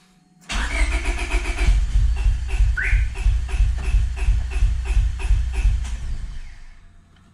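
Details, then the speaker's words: Honda Civic B20, after welding a block hole and fitting an oil sandwich plate: steady cranking with a chirping alarm, no start. Spark and fuel are present; the injectors may not be opening, and the alarm system is suspected. "the same as yesterday you can hear the alarm going off as i'm cranking the call the alarm is going off"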